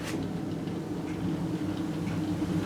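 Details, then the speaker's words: Motorcycle wheel stripped of calipers and turned by hand: a low steady rumble and slight play in the worn wheel bearings, which are to be replaced. "And when you roll it, you can hear them rumbling. That noise isn't good."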